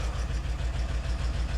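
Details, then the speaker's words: BMW E70 X5M V8, misfires on cylinders 5, 6, 7 (one bank): deep, lumpy, stumbling idle; intake VANOS active test makes it worse, exhaust side test makes no difference; cam solenoids suspected. "So it makes it worse. If I do the exhaust side, doesn't make any difference."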